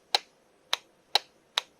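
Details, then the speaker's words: Can-Am Outlander 1000 with whip lights wired through an added relay stacked on the existing relay: five sharp dry clicks in two seconds, uneven spacing; light bar relay switching normally. "I know one relay is this light bar. And I It's wired to a relay. So, you can hear it clicking back here."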